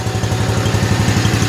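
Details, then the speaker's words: 1955 Cushman Truckster single-cylinder with a new exhaust, cold start after sitting for years, choke off: an even, low putt-putt at about eleven beats a second with no knocks or misses. Smooth, quiet, normal idle. "Sounds as good on camera as it does in real life, but what a smooth running, quiet little engine this thing really is."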